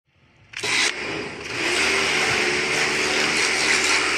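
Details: Kärcher pressure washer that started then shut off immediately, after cleaning and greasing the automatic shut-off: starts with a click, then a steady even high motor-and-pump hum with no cut-out; running normally.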